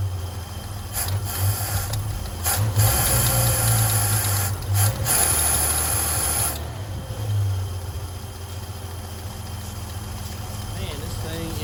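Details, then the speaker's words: 1978 Chevy C10 base 2WD, Monojet-carbureted straight six, automatic, driving: low drone sags and stumbles briefly as throttle is applied under load, then evens out; owner suspects carburetor, considering Monojet rebuild. "Hey, y'all hear that that lull when I kind of get on the throttle or when it's under load? I'm assuming that's carburetor related, right?"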